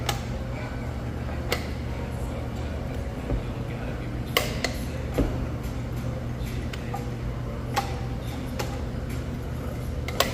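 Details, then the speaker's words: 2005 Toyota 4Runner (4th gen) rear wheel after lateral arm, rear shock and CV axle replacement: lug nuts torqued in star pattern, sharp single torque wrench clicks every second or two over low shop hum at set torque. "Always, always, always, always torque down the lug nuts. Again, following the star pattern, go till you hear the click."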